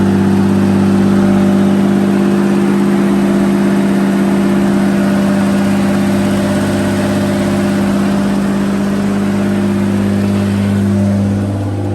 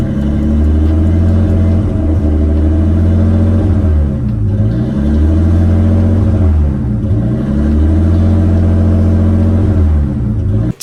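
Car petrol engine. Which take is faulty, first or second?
second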